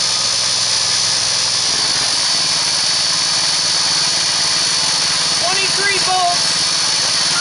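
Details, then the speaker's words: Engine with a 3-inch pulley driving a 2-inch PMA pulley, at about 1100 RPM and 14.9 volts: a steady high-pitched drone with no shudder. It runs smoothly, and the new noise is believed to be a loose key. "that new noise in the engine I believe is just the key I don't have it down tight notice there's no vibration"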